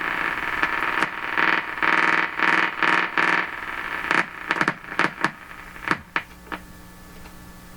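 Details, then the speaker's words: 1940s Canadian Red Cross tube radio after four capacitors replaced: loud hissy station bursts cut in and out with quiet gaps; owner suspects poor antenna connections or a tube heater going off and on, unconfirmed. "where' it go it's not it's not me making it disappear CU these terrible connections here and now it's coming back oh that sounded like a tube a heater going off and on"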